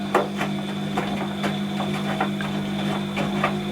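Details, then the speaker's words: Washing machine unused two to three years: steady low pump motor hum with irregular knocks and rattles; worn drain pump impeller blade makes it drain very slowly. "so when that pump Blade's knackered it doesn't drain it anywhere near as fast as it would normally it will drain just takes ages"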